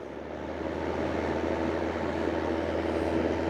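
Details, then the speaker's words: Oscillating fan heater (op-shop donation) running after the thermostat setting was corrected: steady blowing rush with faint constant low hum and light buzz, sounding a bit noisier than it should; heater and oscillation otherwise work. "Sounds a bit noisy."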